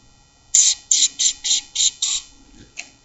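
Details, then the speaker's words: Monster vehicle, front end raised: six sharp high squeaks about three a second on bounces of the front end; owner suspects a hard-to-reach hinge/pivot is the source, not confirmed. "kind of almost sounds like that's where the squeaking is coming I'm hoping it's that simple"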